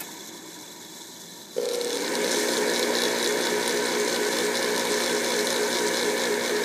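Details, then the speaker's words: Goodman furnace draft inducer motor after temporary fix for sticking (sides ground, washer added, nuts tightened): spins up after a second and a half to a steady hum with faint regular tick about four a second; slight shaft play remains, less than before. "there's still a little bit of play in there but I think it's kind to run there's definitely not as much it was before"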